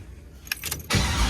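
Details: 1987 Monte Carlo SS LS-swapped 6.0 with CNC heads, headers and MAF fitted: starter whirs briefly and the V8 catches straight into a deep, lumpy rumble; normal start and idle.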